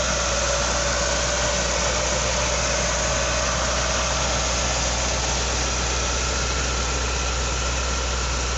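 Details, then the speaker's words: 1978 Ford P6 LTD (Ford Australia) barn find from a shed in regional Victoria: steady, even rumble with no knocks or misses; starts and runs well, engine sounds good, gearbox shifts nicely, no diff noises. "now this car does start and run quite well the engine sounds good the gearbox shifts nicely and there's no no noises from the diff"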